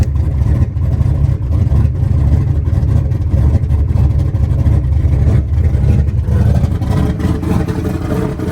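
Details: Small-block Ford turbo 383 V8 after new rocker arm install fixing a metal-on-metal tapping, timing not yet set, slight exhaust leaks: deep steady rumble at lumpy idle with no tapping; valvetrain quiet and healthy.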